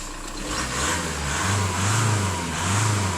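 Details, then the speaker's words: Seat Toledo 1.9 TDI 110 bhp diesel at 205,000 miles: starts on the button, then rises and falls cleanly through a couple of rev blips with no rattle or hesitation; the engine sounds spot on. "so the engine sounds absolutely spot on really does it starts on the button as well it's good news for a diesel"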